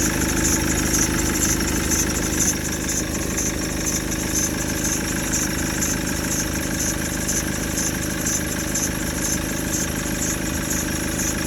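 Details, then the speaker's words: Maxus V90 diesel van that smoked with oil everywhere: steady even idle with a regular clatter of about two beats a second, no knocks or misses; earlier noise was just oil on the belt, engine healthy. "it's ticking over ticks over brilliant there's nothing wrong with this engine that's just oil on the Bel"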